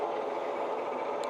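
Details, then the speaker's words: Used industrial lathe bought unseen at auction, spindle run at 260 RPM with the chuck on; the automatic oiler may not have supplied oil yet. A smooth, steady whir from the headstock gearing with no knocks or grinding; normal spindle run. "Comes on, sounds pretty good."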